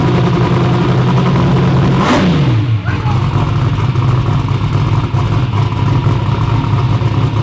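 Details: V8 at first fire-up after fixing two swapped plug wires that caused missing, popping and backfiring: loud, steady, even idle with one clean rev, no misses or pops; runs healthy.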